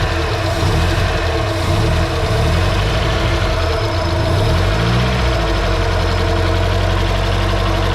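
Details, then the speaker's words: Nissan 240SX CA18DET first start after head install, no coolant lines or intercooler piping connected: loud idle drone with a lumpy, uneven beat and occasional stumbles, manifold smell; sounds like it's missing, cause unconfirmed. Rough idle. "sounds like it's missing what that is yeah this smell is the manifold"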